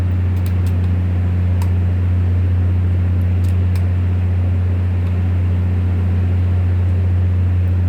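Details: Volvo TWD1463 diesel generator drones steadily with a low, uneven beat and irregular stumbles consistent with a misfire.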